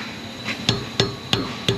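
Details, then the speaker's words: Toyota Highlander exhaust tapped after repair (loose heat shield repaired, rear muffler shield replaced, rubber hangers reinstalled): four solid clean knocks a third of a second apart, no buzzing; heat shield tight, no exhaust rattle. "no rattle [Music] no rattle very good guys and that's how you repair some exhaust rattles in a toyota highlander"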